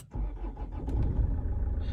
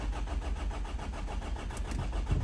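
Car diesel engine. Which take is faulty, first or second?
second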